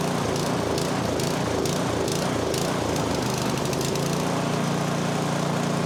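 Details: MTD snowblower, 2–3 years old with about an hour of runtime, started at half throttle with choke: engine hunts with a surging, uneven beat; suspected fuel starvation from low fuel or a plugged pilot jet.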